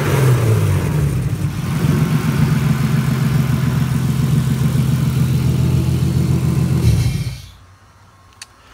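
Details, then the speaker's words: Turbo S52 six in an RHD BMW E30 touring, Deka 60 lb injectors fitted, after earlier running on only three cylinders: steady even low rumble with regular firing, no skips, then switched off; normal idle. "Yep, so I'll fire it up here for you. Runs just smooth as silk now, which is awesome."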